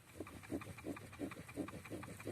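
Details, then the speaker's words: Nissan Qashqai/X-Trail steering shaft after the knock fix, with a hole drilled 5.5 mm and tapped M6 without removing the shaft: faint rubbing from the column covers and slight wiring-loop scraping as the wheel turns, with no knock. "не слышу слышу просто трения баллов кожухи ну и на руле дита подтрунивал шлейфом так небольшой скрежет а так все стука не слышно"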